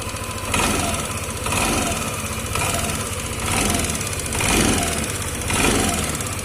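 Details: Yamaha Lexi 125 scooter at idle: light, busy sewing-machine-like ticking over a gently pulsing idle; source of tick not pinned.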